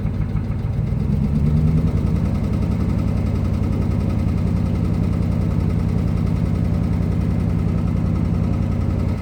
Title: 05 ram hemi rod knock